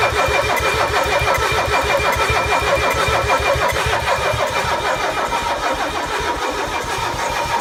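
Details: Mercedes OM617 diesel just after new glow plugs were installed: steady, regular starter cranking with even compression beats, but it never catches or picks up speed. Cranks but won't start.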